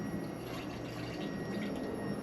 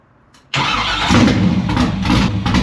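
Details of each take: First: Fuel pump on newly built LS engine in "Problem Child", powered by touching its wire to positive before first fire: steady pump hum with liquid sloshing and gurgling through lines; pump priming normally, no leak. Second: Freshly built LS V8 engine, first fire-up: catches, runs lumpy and surging about ten seconds, then dies; won't stay running but oil pressure is present; engine starts then stalls.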